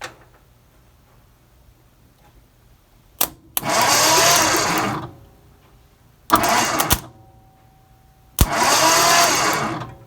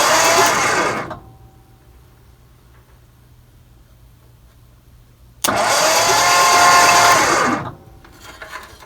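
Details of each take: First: 1963 Mercury Monterey, not started since 1976: three short bursts of free cranking with the coil wire on a plug testing for spark. The plug sparks and is good; the condenser was the no-spark cause. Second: 1963 Mercury Monterey, unstarted since 1976-77, ignition check with points, condenser and coil: two starter cranking bursts of about one and two seconds that never catch; no spark seen; cranking no-start.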